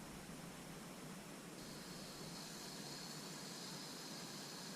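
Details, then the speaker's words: Roundhouse Russell SM32 live steam model loco with its gas regulator replaced after a split, snagged O-ring jammed the valve: gas turned on a little gives a soft, steady, even hiss at the injector/burner jet, no leaks elsewhere; normal gas flow. "I can hear that coming from here but there's nothing from around there so I'll just make sure that's off and that is that"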